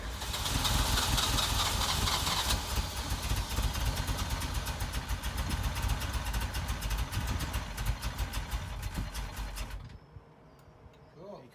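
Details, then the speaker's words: 1983 Ferrari 308 QV V8 under rebuild, fuel relay removed: engine catches and runs raggedly with uneven firing for about ten seconds, then cuts out from no fuel; with relay in it won't fire, flooding suspected. "What happens is when I take the fuel relay out, it seems to fire up, and then obviously it will cut out because it has no fuel."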